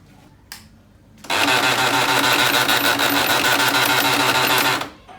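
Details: Canon MF3010 printer gives a harsh rapid mechanical rattle-grind for about three and a half seconds at power-on, an abnormal noise pointing to the gears.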